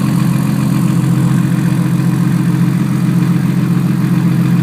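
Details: Even idle during a cooling fan check, with a fast, fairly regular puffing tick on the exhaust note from a small exhaust leak at the turbo flange; exhaust leak at turbo flange.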